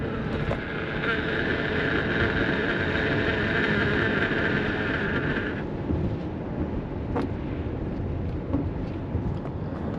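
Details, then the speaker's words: 2011-19 Ford Explorer at about 45 mph, camera against the windshield: buzzing whistle from the wiper cowl rubber over road and wind roar cuts off once washer fluid wets the rubber, leaving even cruising noise. Normal wind noise, cowl seal flutter silenced. "And the funny thing about this whole situation is if you use your washer fluid and wet the rubber, the noise will stop."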